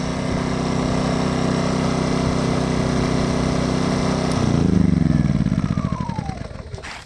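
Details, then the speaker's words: Champion 2500 W dual-fuel inverter generator in eco mode, first start, shut off: steady buzzing run cuts off, then firing pulses slow and fade over about two seconds; normal shutdown, likened to a Honda's. "Some of the noises there, and that noise where we're shutting down there sound like the Honda too."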